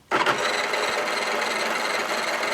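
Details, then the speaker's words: OmniBot 2000 drive motor bench-tested with two clips wired straight to the motor plug, robot propped up on its drawer: even whirr with a light mechanical rattle that starts instantly and holds steady without catching or stalling; motor works. "I have two clips hooked up here that motors working"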